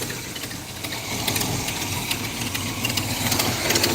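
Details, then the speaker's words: Pontiac Firebird V8, warmed up after sitting, choke working: sharp, fairly steady ticking about four a second at idle. Exhaust leak. "See, what's happening is is I'll run it and that'll get wet and it'll stop leaking. But whenever it sits for a long time, it'll leak."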